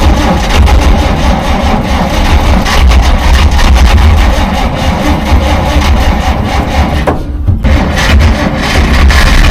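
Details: 1947 Dodge, carburettor engine reluctant to start after fuel supply problems; choke put on fully, linkage faulty with butterfly stuck: long steady starter churn with no firing catch, only a brief pause; flooded engine cranks but won't start.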